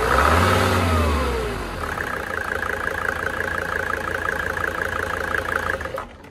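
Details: Mercedes OM605 diesel after an injection pump advance adjustment fires, revs briefly, then settles into a steady clattering idle of about four beats per second before shutting off; it runs fine.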